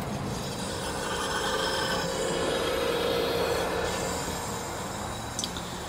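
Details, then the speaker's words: Goodman system with Cool Cloud HAC, AC test run from the app with the condensing unit's compressor just started, blower delayed: steady low hum with rushing hiss building evenly; compressor runs normally. "I don't know if you can hear it but compressor just came on"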